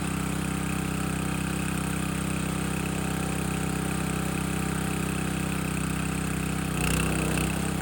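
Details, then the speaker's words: Landworks 20-ton log splitter engine splitting a second log at least twice as heavy, possibly wetter or hardwood; steady, even drone with a brief rise as the log takes load, no misses or hunting; split well, healthy. "All right, that split really well. That log was at least twice the weight of the other one."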